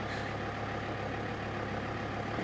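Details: Alfa Romeo 159 five-cylinder diesel on its first start after a new engine was fitted, cold, at 13–14°C ambient, with the engine warning light on. An even, low diesel clatter, smooth and steady with no knocks or misfires: normal cold idle.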